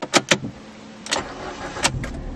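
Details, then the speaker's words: Ford Fiesta with a computer-controlled key-switch start, which stays dead if the key is whipped quickly. Turned normally, it gives a few starter clicks and a short crank, then catches and settles to a low, even idle: a normal start. "now it will start proof that sometimes everything being computer controlled is not a good thing"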